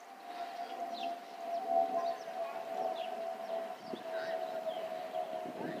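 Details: Delta Air Lines Airbus A319 and A320 (2019): steady siren-like tone held at one pitch over faint outdoor background, the normal harmless FOPP vent whistle of these airliners.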